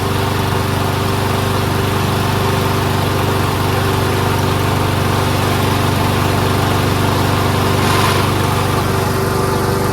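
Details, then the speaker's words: Toro Recycler Personal Pace rear self-propelled auto-choke mower with Chinese Loncin engine, first run after repairs and cleaning: small single-cylinder chugging at an even but slow, lazy idle; sounds good but idle RPM set too low, wants adjusting up. "Sounds good. Maybe the RPM should be adjusted a little."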